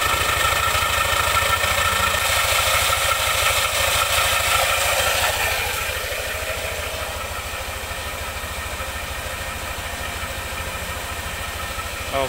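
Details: Yamaha NMAX makes an even krek-krek clicking, nearly three a second, while cranked with the starter, then settles into idle; cause found to be a loose nut rattling.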